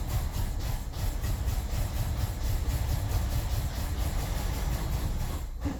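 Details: 2003 BMW 745Li E66 after spark plug and ignition coil replacement and a new battery; lumpy rumble about three beats a second, stumbling near the end; camshaft sensor codes and misfire fuel cutoff on cylinders 8,3,7,6,4; owner suspects camshaft position sensors; rough-running misfire.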